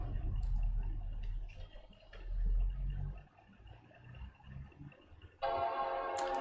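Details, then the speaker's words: 2009–2012 MacBook Pro that gave three beeps on boot (generic memory error), after battery reconnected and back cover refitted: one clear sustained startup chime, white screen and Apple logo, no beep pattern; normal startup. "we have a chine and a white screen and an Apple logo nice and easy"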